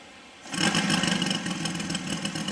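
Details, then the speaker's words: Saito FG60 R3 radial model engine on first break-in run, needles set per manual, deliberately very rich; starts easily, catches quickly and settles into a fast, slightly blubbery run typical of the rich break-in mixture. "you're going to want to get it idling now remember it's super rich so it's not going to run really good and it really um it really starts pretty easy"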